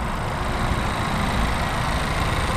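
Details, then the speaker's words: 2022 Honda Civic Si, 1.5 L turbo four-cylinder, 200 hp, manual, at idle: steady low hum with fine, fast ticking from the direct injectors; normal direct injection tick. "you can hear that ticking sound from the direct injection"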